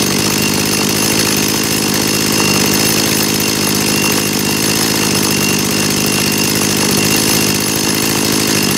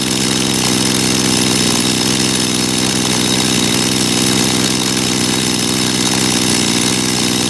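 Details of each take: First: Dolmar two-stroke chainsaw after carburetor cleaning: idle set via the S screw to 2800 rpm (±10–20), steady idle, one crisp rev with good throttle response, settling back evenly. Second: Dolmar chainsaw after carburetor cleaning, idle set high via the S screw on purpose so the chain creeps; fast steady two-stroke buzz, before turning the S screw out to lower idle until the chain stops.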